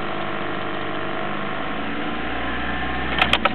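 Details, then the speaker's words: Old Toyota Corolla on 91-octane petrol, fully warmed up, key removed: keeps chugging unevenly for a few seconds with diesel-like knocks, then sharp clicks as it dies; run-on after ignition off, suspected carbon build-up in the head acting as glow plugs. "You hear it, sometimes it goes even longer. It does sound like a diesel when it knocks."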